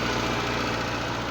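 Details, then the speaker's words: Suzuki engine that won't start when cold and damp, old worn plug leads, leaky distributor: busy, fast ticking clatter over steady idle like a demented sewing machine; owner attributes it to the valves. "because it sounds like a demented sewing machine which means the valves"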